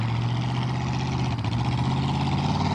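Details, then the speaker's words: Carbureted Chevy, just restarted after running out of gas, revved as the four-barrel opens: deep, uneven drone with a lumpy, wavering beat, not running perfectly; rough running, cause not evident. "oh it's not running perfect that sounds better"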